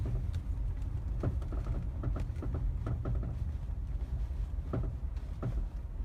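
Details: Mazda 3 BM, knock only in cold/frosty weather since purchase, while driving, not tied to bumps; irregular sharp knocks from underneath over road rumble; owner suspects the dealer-installed crankcase guard, unconfirmed.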